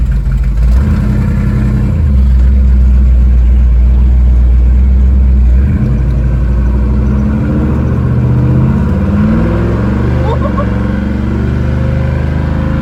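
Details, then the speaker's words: 1967 Mustang fastback V8 after valve lash adjustment (passenger-side valves had zero lash): deep, even burble at a smooth idle that picks up cleanly on a blip, no misses or knocks. "I know she sounds healthy now and uh it needs to be test drove to see if it runs is healthy as it sounds"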